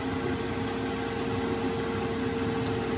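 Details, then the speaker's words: Chinese diesel air heater running on its 1 Hz pump setting: a steady fan and burner whirr with a constant mid tone, the fuel pump ticking, and no surging or rattling; normal operation with no burnt smell. "okay absolutely nothing in here whatsoever no uncomfortable smell no burnt smell nothing you can just hear the pump ticking"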